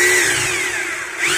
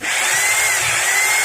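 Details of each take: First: Maktec MT870 rotary hammer, held running with the mode-change gear switch to the rear: harsh buzzy high-pitched whirr with a rough chattering edge, hammer mode working normally; switch forward gives a smooth plain-drill sound. Fault being repaired: tool won't drill. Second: Maktec MT870 rotary hammer that won't hammer-drill, tested in hammer mode after a first repair attempt: smooth, steady high motor whine with no pounding impacts, sound unchanged, so the fault lies elsewhere.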